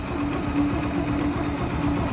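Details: Yamaha YBR125 single-cylinder motorcycle idling evenly with a steady low hum, no timing chain rattle on top after the chain tensioner was pushed in with a screwdriver until it clicked.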